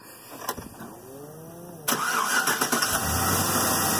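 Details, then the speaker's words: Car with a failing battery in cold weather, voltmeter on the battery reading 13.5 V before cranking: the starter grinds over in an even, laboured beat about four times a second before catching as the battery sags under cranking load. "what's happening now it's getting cold out and this battery is no good I'm going to show you why"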